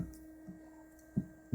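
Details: Corsair H60 2.0 (2013) AIO cooler pump on CPU header, all fans disconnected, SSD-only PC, phone mic near pump: steady low electrical hum audible across the room under handling thumps; owner suspects excessive pump noise.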